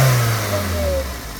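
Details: 2002 Toyota Corolla 1.8 with over 200,000 miles, earlier P0300 random misfire and power loss; after spark plugs and four coils replaced: short blip of revs drops back smoothly without stumble or popping; normal revving, no misfire.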